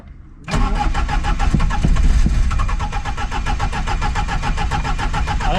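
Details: Polonez that has sat since August and stopped starting: rough, rapid starter cranking at about four beats a second and the engine never catches; crank no start.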